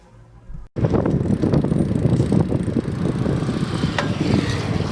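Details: Bicycle being ridden after seatpost clamp was greased to fix a noise: steady tire hum and road rumble, no ticking or grinding from the seat area; saddle clamp now quiet.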